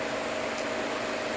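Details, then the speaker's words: Refrigeration evaporator with liquid line solenoid and TXV: steady airy hiss with a thin whistle, stopping when the thermostat is raised to 60 and the solenoid closes; possibly low charge, but the sight glass showed no bubbling; cause unclear. "so as soon as I turn this thermostat up to 60 my liquid line solenoid closed and the hissing stopped all right turn it back down to my mark there I put that Mark there last time I was here and we can hear the hissing noise again"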